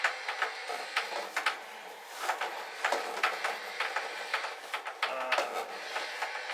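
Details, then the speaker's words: Upgraded old Logitech wheel motors, case off: quick rattling ticks and clicks in bursts as the motors drive back and forth, chatter from poorly self-cut gears; a case should reduce it. "proper gears, it shouldn't make that noise. So aside from a little bit extra chatter, which obviously if you had the case on, make a little bit less chatter."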